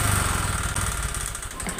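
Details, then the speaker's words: Honda Vario 125 FI scooter, before injector and throttle body service: revs with coarse, gravelly roughness and white exhaust smoke; rough running, possibly worn piston from late oil changes and dirt, cause unconfirmed. "kasar pada mesin diiringi dengan keluarnya asap putih mungkin dikiranya dari bagian CVT"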